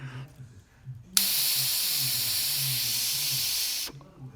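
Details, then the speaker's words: KBB remote sensing fire valve on an oil stove's vaporising pot burner: a sharp, steady hiss holds evenly for about three seconds, then stops when the valve is pulled off. Oil flows normally through the open valve. "so you can hear air going through it or oil going through it and when I pull this you'll hear it stop"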